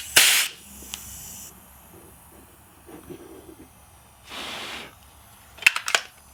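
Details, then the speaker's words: Gas air pistol used to shoot hard disks: short bursts of gas hiss with sharp snaps between, gas appears to be leaking inside past the pistol's valve, so gas may have to go in at the end. "Okay, I seem to have a problem with my valve here. If you can hear it, it seems to be leaking inside."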